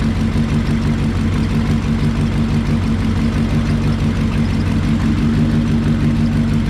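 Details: 1968 Lincoln Continental 462 V8, just after an oil and filter change to Rotella diesel oil to cure a valve tick, not yet fully warmed: deep, even idle rumble with no ticking. Normal idle, tick resolved.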